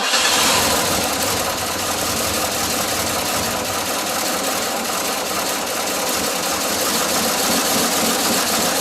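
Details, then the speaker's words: 1981 Ford F150 flareside, first start in 14 years after sitting since 2007, timing possibly off: rough V8 idle with an uneven stumble every few seconds; idle misfire, owner plans an oil change and spark plugs. "that's good enough for me to decide to change the oil maybe throw some spark plugs at it because it does have a miss"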